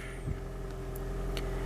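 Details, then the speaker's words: Toyota Prius hybrid petrol engine held running in maintenance mode via a Bluetooth scan tool: quiet, steady low hum with a faint even whine, no ticking or roughness; normal idle. "the engine's running and it'll continue to run which is this this is a really useful feature"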